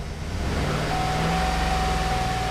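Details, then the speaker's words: 2008 Chevy Suburban 5.3 V8 with blinking check engine light and code P0304 (cylinder 4 misfire): uneven, lumpy low idle pulse, very rough running, with unburnt fuel smell. "I have this 2008 Chevy Suburban got a blinking engine eyes on it run very rough"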